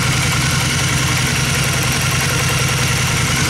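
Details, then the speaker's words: 2002 Honda Magna V4 motorcycle warming up after carb rebuild and clean with new in-tank fuel filter and fuel line: loud, steady, even idle with smooth low pulse, no stumbles or knocks; normal warm-up idle. "let's go ahead and start it up and hear this baby purr don't eat no choke this is already warm up neutral neutral [Music] it sounds pretty good"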